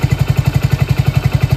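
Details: Motorcycle idling with an even, steady thump of about eleven beats a second and no knocks or misses, during a regulator-rectifier bypass demo where the two body (ground) wires must stay joined; a normal idle.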